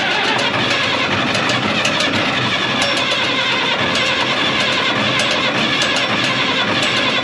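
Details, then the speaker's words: 1965 Minneapolis Moline G707 six-cylinder diesel parked 13 years, after cracking injector lines to bleed air, about half throttle: cranks, catches and runs with rough busy clatter evening toward idle; diesel starting once air purged. "But it took a minute to get the air out of the system here."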